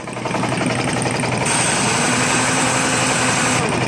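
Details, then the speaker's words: Old air impact wrench after repair, first test run: sharp, fast air-motor whir with hiss that holds steady and spins freely; it works, running noticeably faster in reverse. "working and as I suspected that it will pop out for the air pressure it works a lot faster and reverse though"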